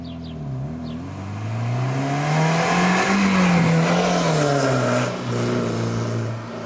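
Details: Toyota MR2 ZZW30 1ZZ engine, repaired after rod bearing trouble, with homemade TIG-welded stainless exhaust and switchable silencer valve: revs climb cleanly and drop back to steady idle, smooth note, no knock; healthy.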